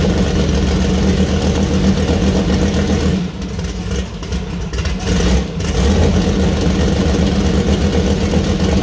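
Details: First start-up of freshly assembled 2000+hp LS (Dart LS Next block, Brodix BR3 heads, .750 solid roller cam): deep loud V8 burble, brief dip then even pickup, no knocks or ticks; sounds healthy, small oil leak at cam-driven fuel pump.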